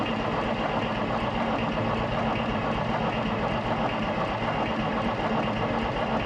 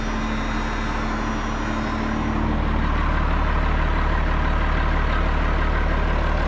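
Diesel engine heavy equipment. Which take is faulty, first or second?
first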